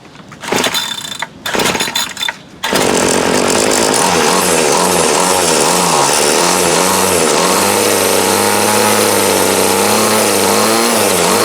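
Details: 2008 Troy Bilt TB20CS 31cc two-stroke trimmer after new fuel lines, fuel filter and primer and a carb adjustment: a few pulls, then it catches and buzzes high, wavering slightly before steadying; runs well, carb still needs slight tweaking.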